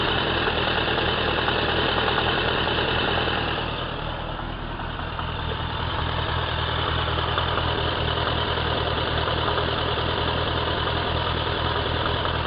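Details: Suzuki Bandit 1200 K3, 29k on the clock, oil changed a month ago, warm idle: steady even knock about three per second, only when warm, persists with clutch pulled, inaudible under load, worsening for a year; source unknown.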